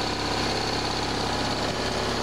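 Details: BMW R1100RS oilhead boxer twin, about 75,700 miles, just started cold with a mechanical oil pressure gauge fitted for an oil-light flicker complaint: dense, steady mechanical hum, even firing, no knocks or ticks; cold oil pressure excellent.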